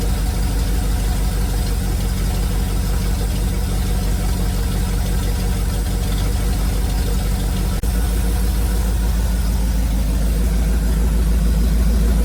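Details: 1971 Chevrolet C40 truck ("Big Whitey"), first running after marathon carb cleaning and idle mixture adjustment: steady low idle with loose, uneven knocking about three per second; owner blames the shot exhaust, blow-by minimal. Cause suspected, not confirmed.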